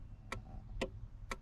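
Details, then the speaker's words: Ford Mustang Cobra during diagnostics; sharp even clicks about twice a second over quiet background, like a relay cycling; owner thinks it's the flasher, possibly alarm or panic mode, with a known PATS key issue. Rhythmic ticking. "so you can hear that. That sounds to me like the flasher."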